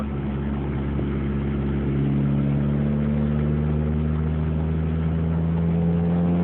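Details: 2004 Dodge Neon SRT-4 idling while clutch worked in and out and shifted through gears; idle pitch drifts up and down, never settling; erratic idle, owner suspects vacuum leak, unconfirmed.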